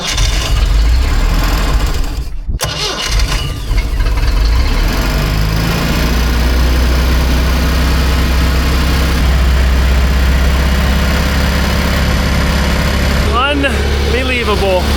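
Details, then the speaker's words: Engine of a free, long-neglected Baretta boat, clogged and stubborn, started after repeated crank-stop cycles to blow it out: cranks, catches and holds a strong, steady low rumble without misses or knocks; quiet, running really well. "Boy, did this thing fight us, but as you can see, it's running really well."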